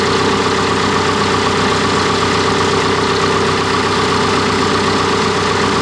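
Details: Cat D3K2 dozer (complaint: rough running, power loss and bogging when pushing, fluctuating rpm, white smoke) idling steady and even, no knocks, misses or hunting; DPF soot load reads 12%, engine sounds healthy at this point.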